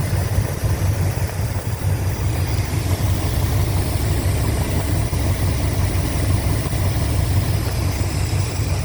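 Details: 1987 Chrysler Fifth Avenue V8 after new lifters and manifold gaskets: smooth even low idle with steady rumble, no ticking or tapping; previous lifter tick gone.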